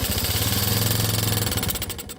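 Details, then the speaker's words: 1985 Yamaha Moto-4 80cc single-cylinder ATV on choke: choppy, uneven putter that sags and dies, won't hold idle; runs rough, carburetor suspected dirty, planned ultrasonic cleaning. "We have a runner. Not great, but it ran. On choke. Yep. Not liking that carburetor very much. Like at all."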